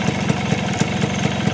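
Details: Yamaha two-stroke with a DIY electric starter motor chain-driving a gear welded to the magneto: after starting, the starter stops while the engine runs; steady idle with a regular pop about every quarter second, starter quiet; running normally.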